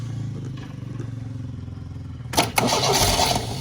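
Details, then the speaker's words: MGB GT started after 20 years stored, on full choke: slow cranking, then it catches and runs loud, uneven and very rich before smoothing out, with good oil pressure; engine starting after long storage. "Sounds very rich. I've got to turn it off in case it doesn't go again. Okay, she's smoothing out a bit. Good oil pressure."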